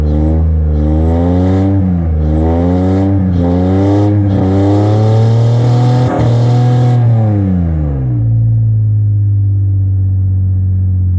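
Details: Acura TL V6 running on three cylinders because of bad injectors: rough, lumpy revving with an uneven beat rising and falling with throttle, then a ragged idle.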